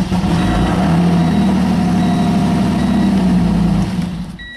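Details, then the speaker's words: Car that sat a long time, on a 2014 battery revived with distilled water and a slow charge (13.2 V); before, it wouldn't crank. Now it starts strongly, settles into a firm steady drone, then shuts off with a chime. Normal start and idle. "She is resurrected battery. That's 2 starts. That's great. Nice and strong."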